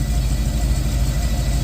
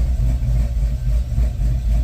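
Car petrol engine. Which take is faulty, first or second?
second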